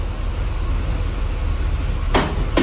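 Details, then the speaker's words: Corvette C3, engine running, after repairing the slow vacuum headlight actuator: engine hums steadily, then two quick thunks a moment apart as the headlight doors pop up; actuators working normally. "Oh! Okay, and see now, I mean, obviously it went up quicker. They don't necessarily have to go up at the same time."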